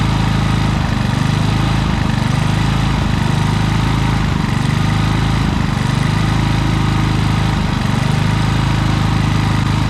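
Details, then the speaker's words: Harbor Freight Predator generator with many hours, began surging after running a week straight and running out of gas; carburetor tightened, air filter shroud off: steady drone swells and sags every second or so; cause was misadjusted idle screw, not the carburetor. "so well guys it wasn't really the carburetor i mean there was some dirt in it but it was actually just this little idle screw right here with it it uh allows the electronic idle to do its thing but this here keeps it from going too far"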